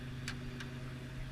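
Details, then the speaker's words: 1975 International half-ton pickup, 345 V8, four-speed manual, mostly original, warmed up with Flowmaster exhaust. Steady, smooth idle without shaking, but a couple of sharp little puffs ticking over it reveal a small exhaust leak. "got a little exhaust leak as mentioned before but you can hear it sounds awesome International Motors have the best sound with flow master exhaust"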